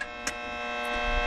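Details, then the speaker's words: Steady buzzing hum with a stack of even tones at constant level; speaker says it comes from a transformer feeding a capacitor circuit. Cause suspected, not confirmed. "And the transformer dumps into a capacitor, and this capacitor and the transformer circuit makes this noise."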